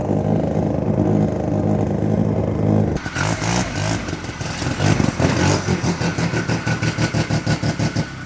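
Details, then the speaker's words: 1972 Arctic Cat Panther 303 snowmobile with a Sachs Wankel 303 rotary engine, over 50 years old, before teardown and tune-up: at steady throttle it falls into an uneven, lumpy pulse about three times a second, running rough, cause unconfirmed. "See right there, steady holding that throttle. She's starting to run a little rough."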